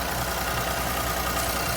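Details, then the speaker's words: 2020 Infiniti Q50 3.0 twin-turbo at Copart: smooth steady idle hum with a faint even whir on top, no knock, miss, rattle or shake; engine running fine. "So yeah, but yeah, the engine's not shaking and it sounds good. It doesn't sound bad or something."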